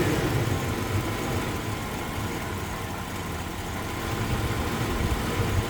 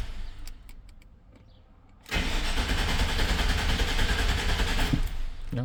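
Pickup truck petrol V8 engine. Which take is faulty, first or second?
first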